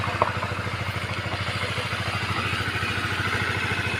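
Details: Honda CBR150 after cam chain tensioner removed, cleaned, reset and refitted to cure a top-end klutuk clacking: quick, even idle beat with no clacking from the top end; normal idle after repair.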